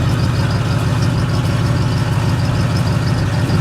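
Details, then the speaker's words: Chevrolet K20 small-block V8 idling after first start in about 20 years: deep, steady, even low burble with no ticking or knocking; runs smooth and healthy, though stuck rings are suspected. "all right it's longer than that motor is running two decades she's running fine"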